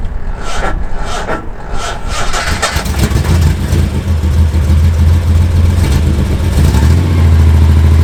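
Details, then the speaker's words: Engine misfiring at idle after the ignition coil was replaced: it cranks, catches and settles into a lumpy idle with an uneven stumble about three beats a second, exhaust not yet warm. Owner says the misfire is not ignition-caused; exact cause unconfirmed. "So there you go. If you can hear the misfire, it doesn't actually look that bad at the moment."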